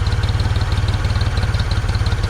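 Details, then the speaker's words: 1974 Ford 3550 industrial tractor, sat about 18 years with the engine stuck solid until a month ago: now idles with a steady, even low thump, no knocks, ticks or misses; running smoothly, purring like a kitten. "58 years old she's sitting there purring like a kitten what about a month ago it was stuck it was stuck solid for we don't even know how long"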